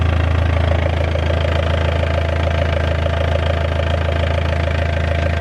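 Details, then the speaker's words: BMW E46 diesel just after fuel filter replacement and priming: fires straight up into a steady idle with even clatter, about 136 beats a minute, no misses or surging; healthy. "Okay, let's try and fire it up. Fired straight up, no problem."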